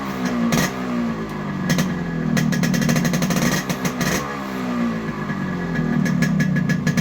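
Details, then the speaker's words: Yamaha RX100 two-stroke fitted with an Indonesian RX King CDI (rated to 14000 rpm vs 7000 stock), previously cutting out mid-throttle: crisp, sharp crackle rising and falling with each throttle blip, clean beat, no misfire; healthy revving. "நீங்க sound beat ஒவ்வொரு type rice பண்றதும் sound beat மாறுறதை நீங்க பார்க்கலாம்"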